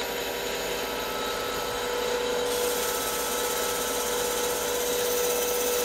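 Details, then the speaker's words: CBN insert turning a sintered tungsten carbide end mill shank on a lathe, feed 0.03 mm/rev, 0.05 mm depth of cut, first pass: steady even cutting hiss with faint thin tone, no chatter or squeal; smooth cut, finish looks good. "okay first cut finish doesn't look too shabby the sound cuts through this the the cut sounds really nice it's really impressive"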